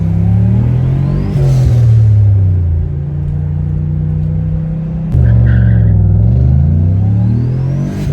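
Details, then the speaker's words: Car with T45/T-56 style manual gearbox that ground on 1-2 shifts, after an experimental trick: revs climb and drop cleanly at each upshift with no grating or crunch; 1-2 grind gone. "Um the car went into gear smooth uh smoother anyway. Um and immediately my one two shift grind was gone completely gone."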